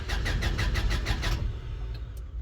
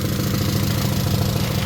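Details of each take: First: Honda Civic EK SOHC VTEC cranks evenly at about three beats a second but never catches. No fuel is reaching the engine or rail despite a new fuel pump, fuel pressure regulator and filter; owner suspects the pump or injectors. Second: Honda EK Civic with SOHC VTEC after an engine swap, running again after rust clogging the system was found and cleared: smooth, even idle with steady low beat, no stumble or misfire; normal idle.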